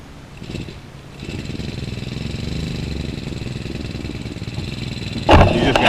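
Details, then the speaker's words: Shindaiwa T344 two-stroke trimmer with a new carburetor, just started and left to warm up at idle: even steady patter, then a sharp throttle burst; runs smooth, normal idle. "just gotta let it sit there and warm up."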